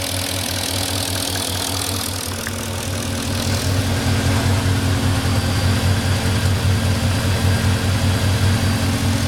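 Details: 2004 Porsche Cayenne S 4.5 V8, about 50k miles, well maintained, idling about 3 minutes after a cold start. A light, quick ticking sits over the low hum. The owner thinks it is normal, not scored cylinders or piston slap; cause unclear.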